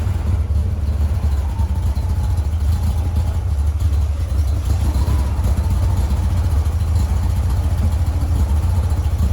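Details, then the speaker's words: 1956 VW Bug flat-four with twin replacement 40mm IDF/HPMX carbs, after fixing the fuel-leaking carb: even steady low thrum, no missing beats, firing on all four cylinders; best it has run lately, adjustments still out of whack, linkage unsynced. "well it's amazing what a difference two functioning carburetors make and four cylinders versus two cylinders so this actually the best the cars ran in a little bit"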